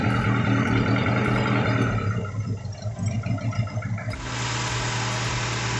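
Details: Daihatsu Taruna after top overhaul for oil burning (white smoke); earlier miss traced to one valve clearance set too tight, losing compression, now corrected. Revs blip and fall back, then settle into a smooth, even idle with no missing beat.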